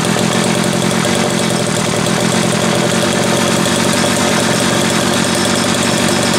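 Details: Homelite 330 two-stroke chainsaw after intake boot replacement, the only fault found: loud, even buzz holding steady revs with no stumble or misfire; bar oil just starting to pump, needs more run time; running cleanly.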